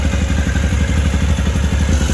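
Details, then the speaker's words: 2013 Can-Am Maverick 1000R twin with big tires, clutch covers off and a check engine light on. Loud, fast, even ticking clatter at idle that disappears when revved. Attributed to the primary CVT clutch, which needs replacing. "clutch also makes quite a bit of noise. It's pretty loud. You can hear that like ticking noise. That's just the primary clutch."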